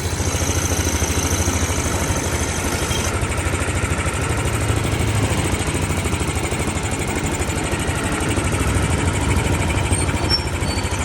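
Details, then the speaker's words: Yamaha Aerox 155 that earlier had a noisy ticking from the engine, after rocker arm replacement: a steady, even idle with a smooth low thrum and no top-end ticking. The valvetrain is now quiet and healthy. "Tahimik na siya. Ayan ah success yung ating trabaho."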